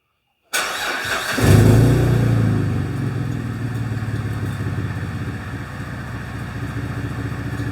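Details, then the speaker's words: Possibly 2006–2008 Pontiac G6 (complaint: runs rough, check engine lights, antifreeze smell) during a scan-tool live-data check: quick crank, a flare of revs, then an even, rhythmic idle with no obvious skips; it doesn't sound like it's missing much. "let's look at misfire data doesn't sound like it's missing too much"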